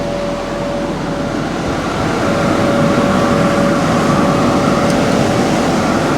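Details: Both fans fired up (with hydraulics and auger): steady even rush of air with faint constant hum, no hiss or whistle from air leaks; fans sound healthy.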